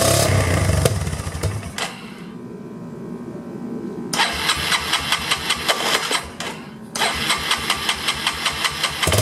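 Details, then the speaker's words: 1999 Yamaha Bear Tracker after new pickup coil restored spark, new petcock and carb fix stopped fuel leaks: cranks, catches and fires, then idles unevenly with surges and dips; runs but needs carb and idle adjustment. "It's, we have spark, no more fuel leaks, and I know it's running. I just need to, sounds like I just need to adjust the carburetor and the idle speed and all that good stuff, which is pretty easy."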